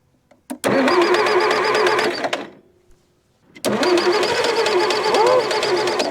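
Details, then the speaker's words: Massey Ferguson MF711 hydrostatic skid loader, sat non-running 20–25 years in a barn, choke pulled, throttle back, on a newly installed battery: cranks, catches, runs briefly, dies, restarts and keeps running; slight exhaust leak, puff of smoke, first run in decades. "she's GNA do it exha leaks a little yeah little mfer is running first time in 20 to 25"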